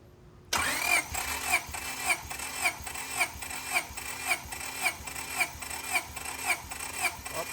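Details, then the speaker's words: Honda Civic SiR B16A freshly rebuilt with 81.5mm ARIAS pistons, zero run time, cranking during pre-start compression test (engine primed, not yet started); starter cranks with even, regular compression pulses about two per second, all equal strength; normal cranking. "now here's my colleague doing the compression test while I crank up the ignition"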